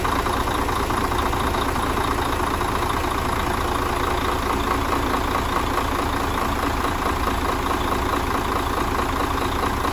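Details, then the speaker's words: Mercedes Axor truck OM457 diesel after full engine rebuild for foreign knocks, new filters; ran all day without complaints. Deep, steady, even idle with a soft regular chug and no knocking: normal idle. "так друзья мы загнали автомобиль поработал у нас вчера целый день поработал всё хорошо нареканий никаких нету"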